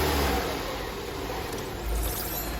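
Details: Opel Astra J, cold engine, held at revs: loud, slightly uneven, lumpy drone, no clean smooth pull; misfire, worse shaking when cold, traced to burnt valves; oil burning also noted.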